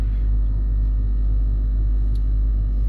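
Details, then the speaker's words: Range Rover L322 3.6 TDV8 Hitachi air suspension compressor lifting the car off its bump stops after overnight sag (codes CA120-64, C1130-7A); steady low drone with fast even pulsing over engine idle, no knock or screech, running normally. "The compressor is running and we do appear we are raising Bloody hell!"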